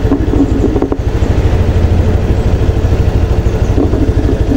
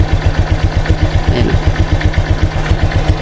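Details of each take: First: Honda Click 125 V3 scooter idling with a steady even low putter after repair and idle RPM adjustment; earlier hard starting, stalling in traffic and a knocking noise are gone. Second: Honda Click 125 V3 scooter idling slowly with a rhythmic low knock like a bad connecting rod, about four a second; it idles unstably and stalls, especially on cold start and in traffic; the fix is raising the idle speed.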